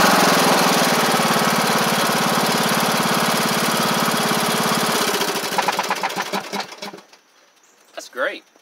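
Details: MTD Craftsman LT1500 riding mower with replacement single-cylinder engine, first run with blades on: smooth, even drone with blades turning, then clean spin-down at shutoff; runs healthy.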